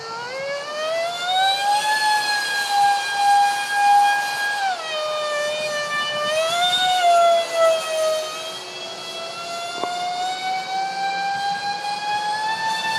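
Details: Su-35 RC jet with twin EDFs, 5-blade rotors, 2600kv motors on 6S: piercing screech rising and falling with throttle over shrill whine; cheap shaft adapters and mounting pads detached by vibration; shafts later upgraded.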